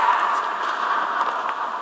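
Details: TDI 150 cabin blower fan: steady airy whoosh with a faint wavering hum and a few light ticks, blower sounds rough; blower fan noise.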